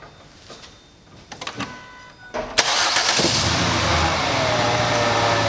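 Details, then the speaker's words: 2005 Ford Freestyle 3.0L V6 with a misfire and no codes (P1000): warm start, then an irregular stumbling idle. The misfire is mild in park and stands out more under load in drive. "the misfire isn't so bad as a warmth start getting at this play sometimes it'll get worse sometimes they'll get better but when you put it in here under a load it really stands out"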